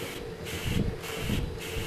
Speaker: hear the air rushing out of this chamber I must seal those two chambers with my thumb